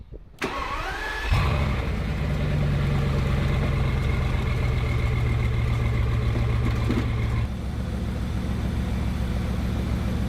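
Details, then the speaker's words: Bugatti with misfire, after swapping parts between sides and clearing codes, engine already warm: quick crank and catch, brief rise in revs, then steady even idle with no stumble or miss; no faults, though nothing confirmed fixed. "No faults. No faults."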